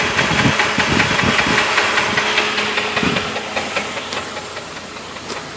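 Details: Jeep Grand Cherokee engine knocking: sharp, even knock about 2.5 per second at idle, seeming to come from a forward, mid-to-upper engine spot; owner considered the flexplate; cause not traced.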